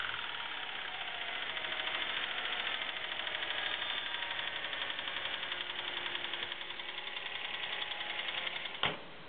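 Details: 2009 Subaru WRX with 12,300 km runs with a fast, steady knocking under the engine tone, a rod knock noticed on pulling into a parking garage. The dealer prescribed a new engine.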